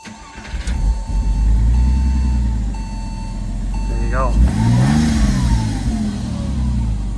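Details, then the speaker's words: Porsche 986 Boxster starting after steering lock replacement: short crank, then clean catch, brief rev and even, steady run; normal engine start. "But yeah, this is what it should sound like."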